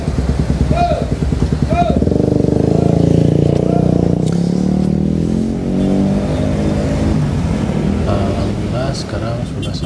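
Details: 2008 Suzuki Satria FU150 with racing exhaust, after a carburettor repair kit and a pilot jet changed from 12.5 to 17.5: deep, soft exhaust burble that climbs and falls cleanly on each throttle blip, with no misses or rattles. Runs smooth.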